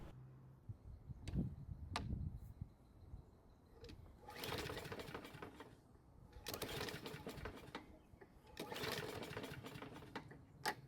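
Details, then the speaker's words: Toro mower a couple of years old with an auto-choke carb, fitted with a test air filter and primed with fuel. Three brief whirring pull-starts with no cough or catch; owner suspects flooding. Cranking, no start. "Unfortunately, it didn't even try and start. Now, because this is an auto-choking carb, I have to wonder if the engine might be flooded with fuel."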